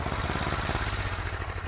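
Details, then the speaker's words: Small single-cylinder snow blower engine in freezing cold: uneven, lumpy firing pulses with a wavering beat, running rough as if about to stall. "And I'm freezing. And sounds like that thing's going to die out."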